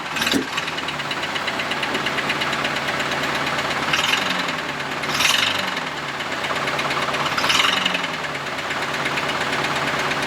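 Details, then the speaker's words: Camaro engine on first start after an exhaust weld repair: rough idle with a constant metallic rattle that grows louder on throttle blips. A heavy internal knock suspected from loose connecting rods or crankshaft journals, not confirmed. "rattle it's a knock so that's what we really heard pronounced when I rev the engine that sort of like rattling sound it's basically step bouncing around that's probably either um connecting rods or um journals loose"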